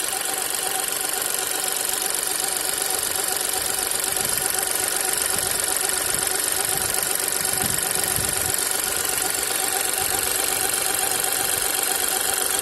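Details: New VW T-Cross 1.0 TSI manual, 600 km, hot idle: faint high squeak chirping two to three times a second in background; source not yet found.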